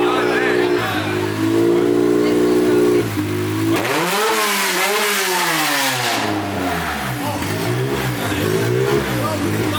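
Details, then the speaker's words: Honda K-series engine with new K parts, revving: loud, crisp note sweeping up and down several times, pulling cleanly and evenly; healthy revving, running well. "Sounds great mean it sounds bad but it sounds great you know what I'm saying I'm very happy with that DJ"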